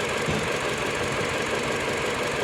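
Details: Mini Cooper petrol engine at idle: dense, uneven chuffing with a slight stumble, a misfire with pending code on cylinder 4, traced with an OBD scanner and scope.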